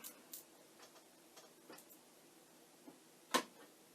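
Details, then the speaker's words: Amiga 1000 powering up beside an Amiga 1080 monitor: soft irregular ticks with one sharper click over faint fan hum, the floppy drive idling normally with no disk, heard before the RGB switch on the back was moved to show Kickstart. "because I hear the drive going, that I have the switch in the wrong place."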